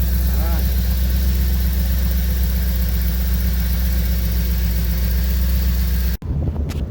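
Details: 1985 C4 Corvette after the fuel pump was diagnosed bad, about 40 psi fuel pressure at idle: smooth, even idle holding steady with no misses or knocks. Normal idle.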